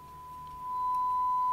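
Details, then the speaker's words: 1958 Fisher TR-1 transistor preamp after replacing all capacitors, fed a 1.7 V 1 kHz sine on input one into an amplifier: clean steady tone without hum or crackle; normal audio output, though the pot is dirty. "we got audio and a dirty pot well you know in 1958 58 guys i mean come on"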